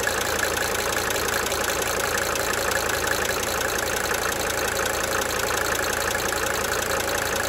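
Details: 1992 Mercedes-Benz 300D 2.5 turbo diesel idling for several minutes, brief talking at start; light rapid ticking riding on the steady idle, fading in and out: cyclic injector ticking.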